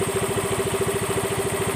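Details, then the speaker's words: Yamaha Mio M3 125 scooter after repair of a rough clattering noise blamed on missing CVT grease: even, steady putter with a faint constant whine and no knocking, heard on the right side and at the CVT; smooth, healthy idle. "bagian daerah sini halus ya. Halus. Oke, itu yang pertama. Terus kita arah ke bagian CVT-nya. Halus, Guys, ya."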